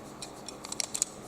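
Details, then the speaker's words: Muscle massage roller stick turned by hand: faint, high chirpy squeaks in short bursts as the rollers turn. The owner suspects the plastic rollers rubbing against the metal shaft, or possibly plastic against plastic. "chances are it's squeaking on the on the this thing is rubbing against the metal and it's probably also squeaking plastic maybe plastic against plastic"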